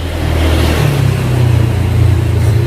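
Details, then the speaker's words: Old Yamaha Aerox 155 scooter, owner reportedly late on oil changes, noise grew over about a month: fast light ticking at low-mid rpm on revving; worn rocker shaft and rocker arm bearing. "Cuma kalau posisi di lamsamin begini nih RPM-nya, dia bunyi ngeleteknya parah. Nih, kita gas lagi. Tuh. Nah, jadi untuk kasus suaranya itu ngeleteknya kayak gini Bang."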